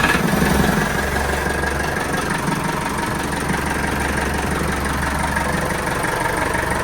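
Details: Sailboat diesel engine after hydrolock, second run after the mud dauber nest blocking the telltale was cleared and oil was drained of water-emulsified oil: steady, even chug, about three beats a second, with no misses or knocks; smooth, healthy idle.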